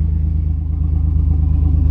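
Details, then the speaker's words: 1992 Chevrolet S10 Blazer at idle, multi-miss fixed by replacing plug wires (number 5 was bad): steady, even low exhaust pulse with no stumble; engine quiet, mostly exhaust heard, slight rattle from a leaking bad catalytic converter. "Listen to that, it sounds nice and smooth. The engine's pretty quiet, it's just the exhaust."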